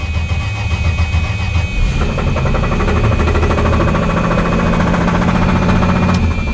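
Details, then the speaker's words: 1978 Plymouth Volare slant six, just started after sitting for years: rough low rumble with uneven rapid tapping; owner says the knock comes from the oil pan area, cause not confirmed. "It's literally blown up. That's coming from the oil pan."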